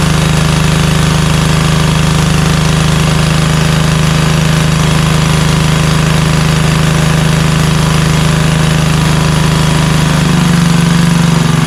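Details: Craftsman LT2000 lawn tractor, Kohler Courage single-cylinder engine, after carburetor cleaning and oil-leak repair: steady, even low drone with unbroken beat, no misses or knocks; runs smoothly.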